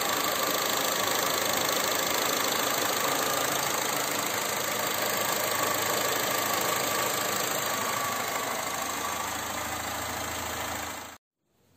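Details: Engine idling after the AC compressor's electromagnetic clutch was tested by bridging the plus contact and found working. A steady, even idle with a light hiss and no bearing growl or squeal from the compressor: healthy.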